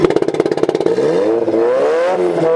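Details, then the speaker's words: Nissan 180SX after weld repair: lumpy, uneven burble at low revs, sweeping up cleanly at high rpm; owners suspect vacuum leak, unmetered air or bad mass airflow sensor rather than plugs. "When you get it up high, it sounds good. But when it's down low, it's really burbly."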